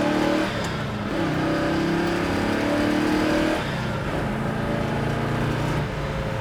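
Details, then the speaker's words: 1967 Chevrolet Chevelle SS big block V8, pulling through fourth gear to about 75 mph without high revs, below operating temp (about 140-150°F); smooth rising tone, crisp shifts, no misses or knocks, strong, healthy. "That was about 75, and I didn't even run the RPMs up. The motor is very strong."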